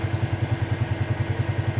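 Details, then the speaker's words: 2018 Polaris Sportsman ACE 570 after full top-end rebuild (valves, stem seals), warm idle as coolant climbs 192–199°F and cooling fan kicks on: even low thump about ten times a second with steady fan hum; smooth normal idle. "so far so good getting close 192 that fan should kick on here in a moment we've got a fan 199 if we did everything right it should start to cool down"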